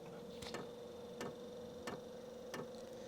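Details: HCALORY Toolbox Compact 2s diesel heater at startup, with the glow plug hot: steady sharp ticks about one and a half per second over a faint hum, the fuel pump priming normally.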